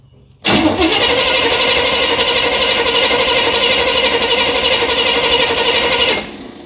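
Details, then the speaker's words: 1978 Chevy Nova, car sat for 21 years: starter whirs steadily for about six seconds but never catches. Owner suspects it is flooded from pumping the accelerator pump about three times and plans to check for spark. "Well, darn it. All right, well, now we pull a plug and check for spark."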